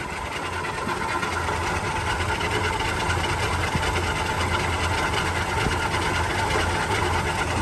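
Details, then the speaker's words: 1959 Chevrolet 3100 with a six-cylinder engine, 4-speed and Napco 4WD: a smooth, even low idle with a soft steady patter and no knocks or misses. A good running engine. "Runs like a wash. These old 6-cylinders really did run good."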